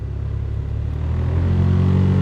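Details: Car cabin blower fan, quiet on low, a low droning rumble growing louder as it steps to higher speed, caused by trash or leaves inside the fan cage.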